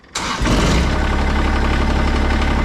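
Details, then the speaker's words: Kubota ZD1211 diesel zero-turn mower just refilled with about 4.1 quarts of Kubota 10W30 and a new filter: catches on the first crank and settles into a steady, even idle with no knocks or misses; oil pressure light goes out. "So what we're gonna do is we're gonna go ahead and start the engine up and let it run for a second to fill that oil filter up, and then we'll check it again."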